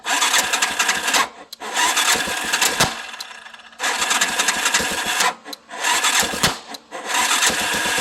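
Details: Big Bear ATV that is hard to start cranks and catches in ragged bursts, with sharp metallic tocking noises through it.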